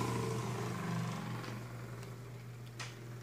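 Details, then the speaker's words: Galaxy (Lasko) 9-inch oscillating desk fan, about 1993, on low speed: low motor hum with faint clicks; rattle attributed to out-of-balance blade, motor likely needs oil. "quite quiet on low actually despite the noise still blowing a good amount of air still making that clicking noise"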